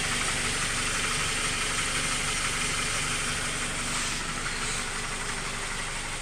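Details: Honda K20 petrol engine at idle: a steady knock, about three a second, heard from the bottom of the engine even after a valve adjustment. Owner suspects rod knock, piston slap or tensioner knock; not confirmed.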